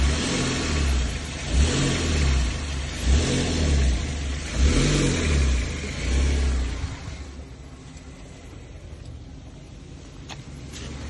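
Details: Kia Stonic EX+, brand new with 3000 km: several rev pulls rise and fall, then quiet idle with faint irregular tapping; engine knock, cause unknown.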